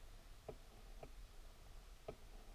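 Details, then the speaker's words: 1993 Chevrolet Corvette, ignition on, quiet cabin: sharp dry clicks from inside the dash, roughly in pairs half a second apart; owner suspects the heater blend door actuator, but the self-diagnosis code shows no fault. "i suspect that it's a blend door motor but i'm not sure so here's how you diagnose that"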